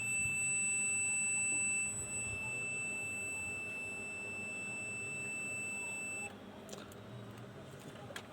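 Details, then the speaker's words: Yamaha RX-V475 amplifier with no sound and no HDMI: continuous meter beep for about six seconds across the 3.3 V supply to the PCM9211 DSP IC (input via L602), showing a dead short in that section. "हमें जो मिला है वह यह मिला है कि हमने जो किया है वह है यह सेक्शन जो अपना डीएसपीआईसी से संबंधित है पीसीएम 9211 और इसकी जो सप्लाई इनपुट है वह है यहां पर एल 602 और यह सेक्शन जो है शॉर्ट दिखा"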